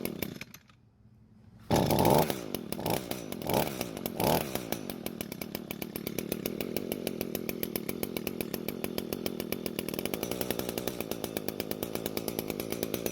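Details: Echo two-stroke trimmer test run after the carb needle is adjusted, possibly too far: after a few early surges it settles into a fast, even buzz; outcome uncertain.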